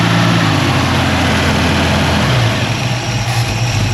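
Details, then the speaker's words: Carbureted engine. Holds a fast, steady idle, then drops lower about halfway through; the throttle linkage is hanging up on the return spring. "That's not good. You don't want this spring to let stuff get caught up in it. That should be the fast idle. That spring is sketchy, man."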